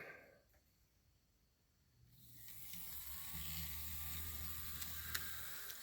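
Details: Kato Southern Pacific SD7 model locomotive motor after removing a piece of ballast from inside: hums up from near silence and settles into a soft, even whir with no more clicking.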